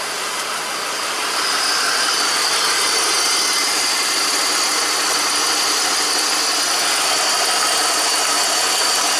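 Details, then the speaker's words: 2004 BMW X5 3.0 L at idle after coil swap: steady idle under a loud hiss with a slightly uneven pulse about four per second; still misfiring on cylinder 2 because the computer has shut off its injector. "I need to shut the car off because it's still misfiring now on cylinder number 2 because it's shutting down the injector."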